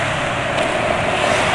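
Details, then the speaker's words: Yamaha NMAX scooter at 61,000 km riding over rough pavement: steady road and engine rush with no knocks or clunks; front suspension oil kept maintained (knocking would mean suspension oil change, front bearing already replaced). "Jadi harusnya lewat jalan kasar ya nggak bunyi kayak gini nih kan, lewat jalan kasar ya nggak bunyi. Kalau bunyi itu ya perlu ganti oli suspensi."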